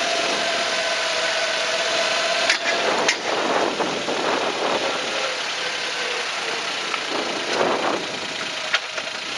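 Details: JB23-7 after forest-road driving, camera fixed to a frame stay: hollow clunks every few seconds, unevenly, over road and engine noise, heavier in reality; intermittent suspension knock, source not found.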